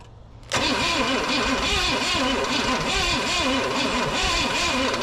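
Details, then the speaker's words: 1969 Pontiac GTO with a Pontiac 350, sat in a barn 35 years: starter cranks steadily with faint sputters, engine hitting harder but never catches. Carb possibly gummed up; owner suspects an utter lack of compression. "It's definitely hitting harder. Now, it's just, I don't know, the utter lack of compression."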